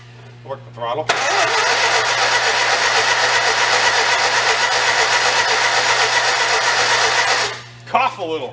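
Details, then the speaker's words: 1955 Morris Oxford parked for 33 years, on a big battery charger; the battery is suspected of a dead cell that was draining the jumper pack. Brisk, even cranking with occasional coughs as it nearly catches but doesn't run. "Cough a little. Let's give him another shot. That's a good shot."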